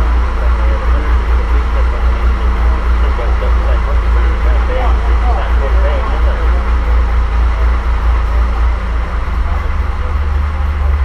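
Deep, steady low rumble with an even beat and no knocks or ticks; the old six runs smooth and settled.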